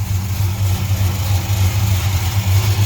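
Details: 1968 Chrysler Newport Custom with a new Holley Sniper EFI, restarted for a timing check and warmed up, fluid burned off the headers. A deep, steady, even burble with no misses, knocks or hunting: a healthy idle.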